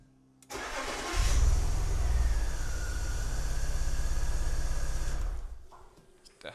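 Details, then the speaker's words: BMW E46 330Ci Clubsport M54, off the road 7 years, misfire persisting after intake boot replacement: lumpy, uneven loping idle that gets rougher with the cylinder 1 coil unplugged; misfire, worse with cylinder 1 coil unplugged. "Right, so we've just undone the coil pack for cylinder 1 and we're gonna see if it's worse or the same."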